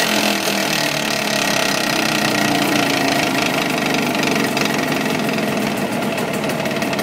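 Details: Jawa 638 two-stroke: fast, even knock that appears only when fully warm, first under load, then constant after about 5 minutes; fine cold. Cylinders, piston rings and pin separators were replaced and heads checked, but the cause is still unknown.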